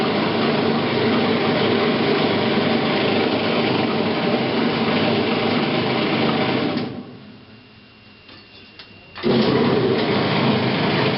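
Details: Admiral top-load washer, model AAV7000AWW, running with a loud, rapid mechanical clatter about three beats a second, still present after replacing the drive belt; cause unknown.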